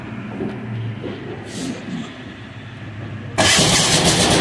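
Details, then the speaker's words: 186FA single-cylinder diesel restarted after being run out of fuel, during an alternative-fuel experiment with synthetic blend 10W-30 oil: quiet cranking, then fires suddenly and settles into a steady, even clatter; running normally on diesel. "again there we go now we're on diesel"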